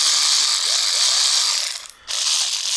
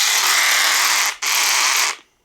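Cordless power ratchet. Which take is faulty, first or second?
second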